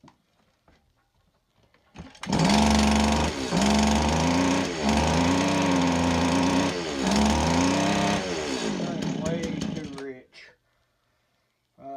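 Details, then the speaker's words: STIHL FS 80R trimmer with a new-looking air filter and a carburetor screw about one turn out, given throttle: revs with a wavering, burbling note that sags and surges; running extremely rich, leaking carburetor needle and seat suspected. "let me give it a little throttle and see what happens [Music] it is running extremely rich the air filter plugged looks like a brand new air filter uh Wonder we've got a carburetor needle and seat problem"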